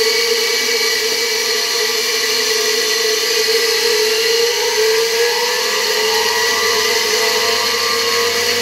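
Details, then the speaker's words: Hungarian Imi motor, tested on a regulator at reduced voltage: a steady, even, high whirring note with no roughness, bearing noise or sparking crackle; the motor runs cleanly and healthy. "powolutku bardzo ładnie się obraca silniki"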